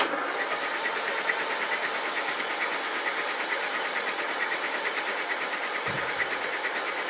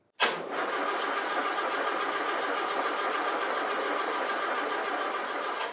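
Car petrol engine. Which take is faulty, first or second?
second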